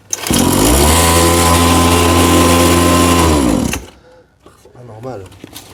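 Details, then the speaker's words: Cheap Chinese two-stroke kids' quad after carburettor adjustment: steady, high-pitched idle holds about three seconds, then cuts out abruptly; idle too high and the engine stalls; owner wonders whether to back out the adjusting screw further. "Donc j'ai réussi à le faire prendre mais c'est vrai que le ralenti est vraiment haut hein."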